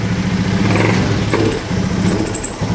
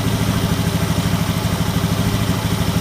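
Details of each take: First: Honda Scoopy FI scooter at idle: engine sags and stumbles as the throttle first opens, nearly dying or stalling; sensors fine, no fault codes, cause said to be minor. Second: Honda Scoopy FI scooter after fixing the faulty side stand switch: engine putters evenly with no stumble, initial throttle pull now smooth and light.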